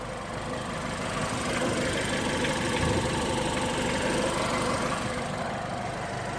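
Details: 2015 Ford Fiesta ST with 7k miles at idle: normal engine clatter with a heavier knock dropping in off-beat, no fixed rhythm; irregular knock, cause unknown.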